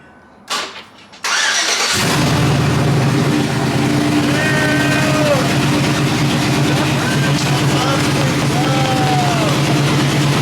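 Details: Truck after exhaust leak repair, recorded from outside: after a short crank it settles into a steady deep idle with no ticking or puffing, exhaust sealed; some smoke noted afterward. Normal idle.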